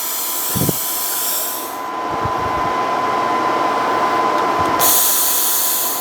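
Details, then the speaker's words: 220V plasma cutter after replacing its faulty power plug. A steady loud hiss with a thin constant whistle and no sputtering or dropouts while test-cutting scrap metal; it cuts normally. "so it looks like it works we're back in business with the plasma which is nice"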